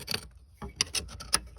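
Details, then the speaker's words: MerCruiser Bravo sterndrive gimbal bearing turned by hand with dry, gritty clicking bursts: rough bearing packed full of salt. "I don't see salt buildup it almost looks like this boat sink on land but whoo you can hear the gimmel bearing now that's going to be a job"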